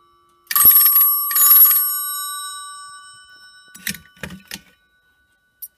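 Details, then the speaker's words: Vintage telephone on a home PBX, ringing on hook: two clean bright bell rings about half a second each; bells strike properly. "and just put on hook so you can hear it ring we're just going to down 104 okay see the bells ringing"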